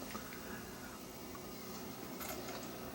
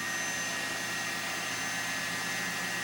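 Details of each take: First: Lite-On LVW5005 DVD/CD recorder (known slipping belts) recording a Video CD (VCD 2.0): faint whir spins up, then settles to a low even hum as it slows, with no grinding or clicking; the disc drive is spinning normally. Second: Lite-On LVW5005 DVD/CD recorder finalizing a CD-RW disc: loud steady rushing whoosh with a thin high whistle, disc wound up so fast it blows a draft out the front; it is overspinning, and the owner suspects a bad disc, a failing drive, or both.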